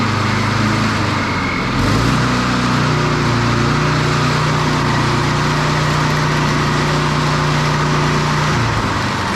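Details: Standard push mower engine after a broken governor arm spring fix. Steady drone steps up in pitch and holds higher. The spring was moved one notch, a couple of mm, and the engine overrevs.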